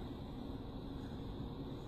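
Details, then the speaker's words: PWM controller, turned up and running: a steady low hum with a faint even high whine, the normal audible switching noise of PWM, nothing wrong. "can you hear the buzzing can you hear the humming yeah it's because it's PWM the wine the characteristic wine of PWM is not unique to to the five five five design that that I posted in the group"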